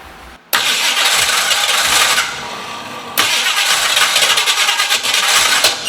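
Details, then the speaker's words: 1968 Ford Mustang with fairly fresh battery and timing retarded slightly, cranking and chugging in uneven bursts, half-catching then dropping off; misfire and no-start. "as you saw a little earlier had the car kind of chugging and sort of burp into life um still not running proper properly still not running really"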